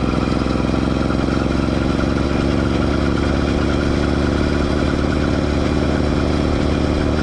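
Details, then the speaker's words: Motorized Schwinn Stingray with a two-stroke bike kit, running under load: a constant scraping rasp over the buzzy exhaust note from the chain rubbing the rear tire. It happens only under load; the half link was first suspected. "biggest issue that needs to be addressed right away obviously the chain rubbing on the rear tire which you can hear in the video it's quite pronounced"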